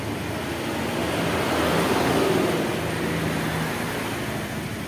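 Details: Honda Vario 110 carburetor scooter during the charging check with the headlight switched on: quiet, steady idle that swells briefly with a light blip and settles back evenly; charging would not reach 14 V, and the battery is suspected.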